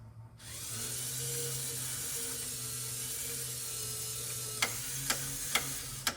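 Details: 1965–66 Thunderbird / 1961–64 Cadillac power antenna, tested up and down after reassembly with a crimped antenna-wire connector: steady electric motor whir through the full run, then sharp clutch clicks about half a second apart. The antenna works properly.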